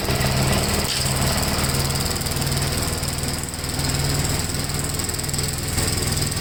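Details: 1957 Gravely tractor mowing test: steady, fast single-cylinder beat at constant speed, pulling evenly under mowing load without misses or knocks; runs pretty good, normal running under load.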